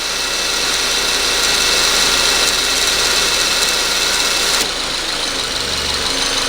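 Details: 2014 Subaru Forester FB25 engine, 68,000 miles, A/C not working, owner reports poor idle and sluggishness: at idle a loud harsh hiss and grinding rattle shifting in tone; very noisy failing A/C compressor, to be replaced with new unit.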